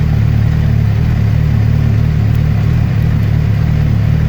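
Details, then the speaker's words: 2008 Suzuki GSX-R600, rebuilt, that would not hold idle; after resetting the ISC valve learned value, it idles smoothly around 1,000–1,300 rpm with the clutch in and no FI code. "Clutch is in. Idles like a dream. No FI code, and it's idling right around 1300 RPMs."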